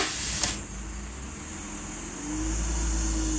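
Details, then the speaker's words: 2005 BMW E46 325ci with intake cam sensor code 2766/P1315, sensor unplugged: a click, short crank, then it catches and runs steadily without the usual momentary stumble. The cause was mechanically wrong cam timing. "it doesn't hiccup so obviously it's giving me the signal at the dme when the car is running"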